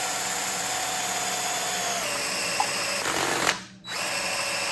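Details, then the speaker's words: Triumph TR6 engine freshly rebuilt, head shaved 60 thou, compression about 8.4–8.5:1; oil system primed with a drill, steady high whine that drops in pitch as the pump picks up oil and loads the drill, oil pressure then shows. "Initially it spins dry, but then you can feel when it starts having some resistance, when it starts pumping oil. You can hear it too."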